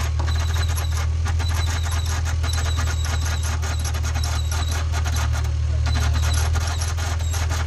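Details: Acura NSX at idle: steady engine drone with a thin, constant high squeal that persists after spraying the belt; a bad idler pulley.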